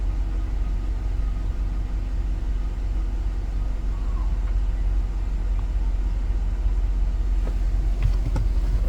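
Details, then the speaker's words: 2007 GMC Yukon XL 5.3 V8 after replacing the oil pressure sensor (ACDelco) and filter, warming up at idle: deep steady rumble, no ticking or hunting; idle has come down and is steady, while the gauge reading may still wander slightly, maybe about a pound. "Everything else pretty steady. So the idle come down, they come down. That's fine."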